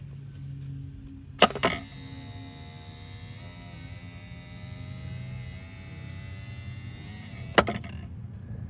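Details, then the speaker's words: Volvo Penta SX-A power trim/tilt pump motor, cleaned and bench-run after smoking from burning off cleaner; smoke now gone, motor not hot, run in both directions. Click on, even electric hum at steady pitch about six seconds, click off; motor spins normally. "motor is spinning no no smoke anymore it's shaking like this because I'm going from one direction to the other kind of going up and down"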